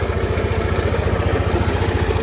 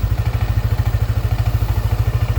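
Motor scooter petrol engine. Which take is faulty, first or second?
first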